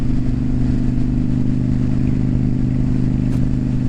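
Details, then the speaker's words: Honda Shadow 750 after maintenance (new air filter, oil change, spark plugs untouched), riding at steady road speed: an even, loping twin-cylinder beat with no knocks or rattles. The bike feels and sounds good. "But no, it feels good, sounds good, looks good, all that stuff."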